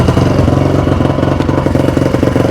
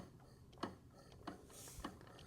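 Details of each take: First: 2002 Honda CRF450R after repair, idling: loud blatty single-cylinder idle, even beat about four per second, no knock; super loud exhaust, running healthy. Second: 2002 Honda CRF450R, bought non-running, engine turned over by hand: slow evenly spaced ticks; cam and valves move, owner suspects something behind the clutch, cause unknown.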